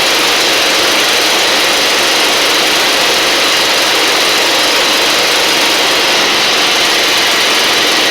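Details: Husqvarna LGT2654 Briggs V-twin mower engine: a loud, rough, hissy run with an uneven beat and no firm low thump. It is limping on one cylinder, the left one dead although spark is visible.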